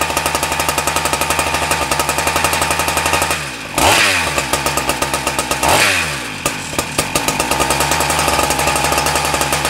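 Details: Husqvarna K970 concrete saw two-stroke after engine rebuild/replacement for no compression: fast rattle that sags and catches twice, revs won't hold steady; carburettor adjustment needed. Cause suspected, not confirmed.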